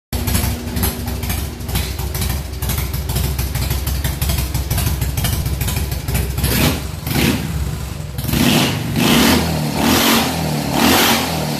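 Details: Harley V-twin on 93 premium fuel with a splash of E85, choke open, throttle blipped hard: lumpy uneven revving with sharp pops and cracks about every second; backfiring from too rich a mixture.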